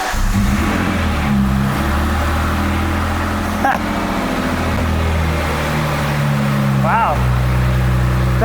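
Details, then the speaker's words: Ford Mustang, first start after tightening a loose electrical connector bolt. The engine fires and revs strongly with a loud, raw, booming exhaust because the rear mufflers are missing; otherwise it runs fine. "it's a little loud but it does run and we realize that why it's loud is cuz it actually is missing the rear Mufflers"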